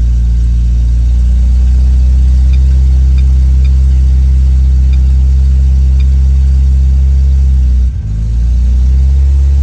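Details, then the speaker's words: Turbo car running after direct fuel pump wiring, FuelTech timing said correct, burning off oil in exhaust, rpm reading questioned; steady deep rumble at raised idle, slightly uneven with a dip; rough running, fuel map still needs tuning. "Tá muito estranho muito esquisito então muito estranho muito esquisitão"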